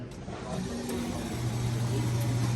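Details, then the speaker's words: Coffee machine with no milk from the spout, milk line being cleaned with 600 ml hot water and 1–2 oz Rinza by ordering warm milk: low steady hum starts partway in and holds evenly, pump drawing through the tube; normal milk pump operation. "So you should see the milk going out the tube. If nothing comes out, you can pinch the tube to create a suction."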